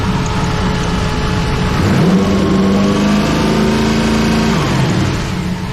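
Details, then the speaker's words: 1932 Ford coupe, blown 383 small-block Chevy with big cam, after fuel pump relocation: deep V8 lope rises smoothly with light revs and falls back evenly, no popping or stumble; smooths out revved. "But if you rev it up a little bit, it'll smooth out."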